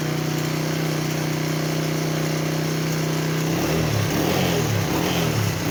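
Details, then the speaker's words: Motorcycle after topping up its engine oil and warming up. Steady, even idle with no chain rattle, then smooth blips. It is quieter because oil has reached the automatic timing chain tensioner. "หลังอย่างที่เติมน้ำมันเครื่องลงไปแล้วก็อุ่นเครื่องซักพักนึงนะครับจะทำให้เสียงเครื่องยนต์เงียบลงเพราะว่าน้ำมันวิ่งเข้าไปในชุดตัวดันโซ่ราวลิ้น"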